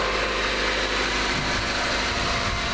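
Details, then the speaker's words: 1999–2001 Mazda Protege 1.6L after timing belt service: smooth, even idle with a steady hum, no knocks or ticks; only slight new-belt noise expected to quiet down. "sometimes those timing belts will make just a little bit of noise when you first run them I hear that one just make just a little bit but that'll probably quiet down so good"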